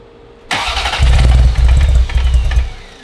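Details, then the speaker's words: Ferrari 348, first start after engine-out timing belt major service: cranks and catches with a few uneven lumpy bursts, then sags and dies within two seconds; won't stay running; later smoke and rich running on right side, wiring harness swap suspected. "Got a little further. Staying on. Ooh, it's getting closer."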